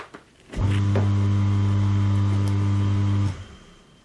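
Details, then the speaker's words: Jacuzzi hot tub pump motor after fixing the stuck air push-button (bellows), tub still empty of water: motor switches on with a steady low hum, runs smoothly about three seconds, shuts off cleanly; normal pump cycling. "Well, it's already pumping. There's no water in there, but you can hear the sound of the motor."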